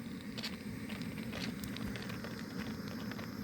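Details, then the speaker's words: Camping steam boiler with hose: harsh rapid crackling and popping over a low rumble; a little is normal, but loud repeated knocking means the burner flame is too strong and must be turned down. "이런 소리가 이 정도 나는 건 상관없지만 이게 반복적으로 엄청 심하면 불이 너무 세다는 거예요. 불 조절을 하셔야 돼요."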